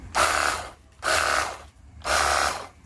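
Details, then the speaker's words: Battery-powered portable jet cleaner pump after repair, previously dead with a hum and a hot motor: three one-second whirring bursts with an even steady tone, no rattle; quieter and smoother, running normally. "dan suaranya lebih kalem ya, lebih halus."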